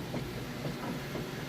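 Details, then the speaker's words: Whirlpool washer on super capacity setting with heavy jeans and towels load, agitating: steady even churning swish with soft rhythmic surges, no knocking or grinding — normal agitation. "load in there it's on super super capacity there's a real good job as you can see it sounds real good"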